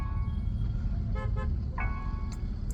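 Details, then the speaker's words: Tata Nexon EV Dark Edition stalled on road from system failure, restarted roadside with brake pressed: ready/ignition on but stuck in park; soft chime tones over traffic rumble as faults show—limited performance mode, ESP, traction control, hill descent, auto hold malfunction; cause unknown. "आवाज येईल थोडंसं, तुम्हाला disturb होईल आवाजाचं, so थोडंसं सहन करा."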